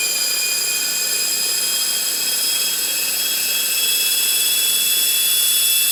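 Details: RC helicopter: steady, piercing high whine at constant pitch over the motor noise. Source unidentified despite oiling main rotor shaft, motor, main gear, tail drive gear and tail pitch bearings.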